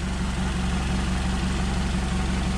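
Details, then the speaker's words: Nissan Altima with P0420 code, exhaust smell in the cabin and getting loud after muffler and resonator already replaced: steady low idle with a fast puffy pulse; exhaust leaking through a big crack in the engine-mounted catalytic converter. "oh yeah look at that and that's where it was leaking from and getting the exhaust smell and everything right there big old crack right through there"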